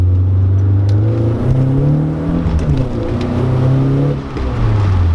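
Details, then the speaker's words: BMW E36 318iS four-cylinder, after idle repair work: revs rise and fall cleanly and settle evenly, no misses or knocking, no longer smells like it will blow up; idles nicely, running healthy. "Okay, so the efforts on the car means it no longer smells like it's going to blow up, and at the same time it idles really nicely."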